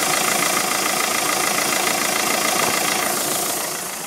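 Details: 2007 VW Golf 2.0 TDI DPF 4Motion (BMM engine), over 136,500 km, idling at standstill with a strong airy hiss pulsing about three times a second; raw exhaust smell at idle entering the cabin for several thousand km.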